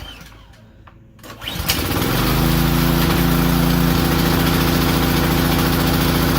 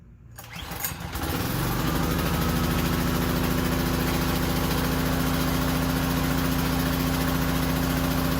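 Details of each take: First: Powerstroke 2200 PSI pressure washer small engine, not hooked to water, on choke: catches and runs with slight rhythmic rise and fall; surges once warm and won't restart off choke, suspected lean carburetor. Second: Powerstroke 2200 PSI pressure washer, cold start after repair for surging and dying: brief rough surge at startup, then settles into a smooth, steady run with no hunting, far better than before repair.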